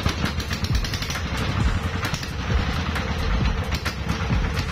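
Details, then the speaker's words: CD170 diesel engine that won't start when cold: it now starts but runs loose and irregular, a low diesel thump with no steady beat; the mechanic blames a long-worn injection pump plunger. "হয়তো দেখতেছেন যে ইঞ্জিনটা start হয়ে গেছে, তারপরেও ইঞ্জিনটা start হয়ে গেছে কিন্তু ইঞ্জিন অ্যাকুরেট না। তার মানে এই লজেন প্লানজার এতদিন প্লানো রয়েছে ইঞ্জিন, যে লজেন প্লানজারে কিন্তু সমস্যা হয়ে যায়, তেল ডাকতেছে তারপরেও অনেক সময় কিন্তু সমস্যা হয়ে যায়।"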